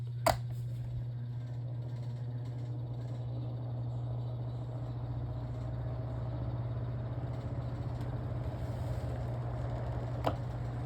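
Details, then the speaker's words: Black fan after replacing a damaged blade, aligned with the shaft notches, running through speeds one to three: steady low hum at an even pitch with no wobble, rattle or thump; smooth and balanced. "So, as you can tell, that wasn't that was much better than the last plate."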